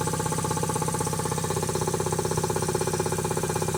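Steady, regular pumping beat around four strokes a second with no knocks or rattles; compressor runs smooth and healthy.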